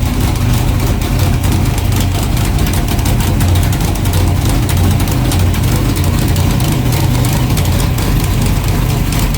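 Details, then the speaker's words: Freshly built low-compression 383 pump-gas street engine (about 600 hp), just fired up before dyno, heard outside: loud, lumpy V8 idle with heavy low rumble, steady, no knock or tick; sounds healthy. "We just got the engine fired up. Thought I'd let you hear it outside. Man, she sounds awesome."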